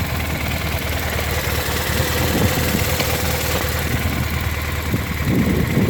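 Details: BMW R1200R at idle: uneven metallic rattle chattering over a steady boxer idle, suspected in the transmission area; some loose part rattling, source unclear.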